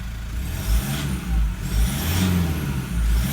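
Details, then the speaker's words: 2012 150 Prado 1KD-FTV diesel, about 150,000 km, new injectors running a few minutes, feedback values good: deep even note swelling smoothly as revs rise and fall, no knock or rattle, normal quiet acceleration. "Smooth, quiet acceleration. That's what your 150 Prado should sound like."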